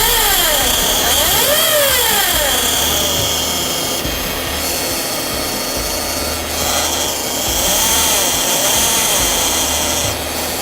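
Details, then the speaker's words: Toyota Alphard with K115 CVT, engine running, microphone held at the noise source by the transmission: steady high whine with wavering rising-and-falling tones and low pulsing hum, an abnormal automatic transmission noise. "Teman-teman sudah dengar di bagian maticnya itu ada bunyi."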